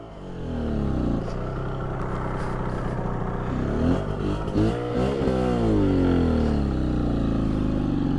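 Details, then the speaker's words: Rebuilt 1981 Suzuki GT250 X7 two-stroke twin, a decades-abandoned barn find, on its first ride: it revs unevenly, stumbles and cuts out with no power, as if running on one cylinder. The clutch slips and there is smoke on the right side only. Misfire, loss of power. "No power. Come on, baby."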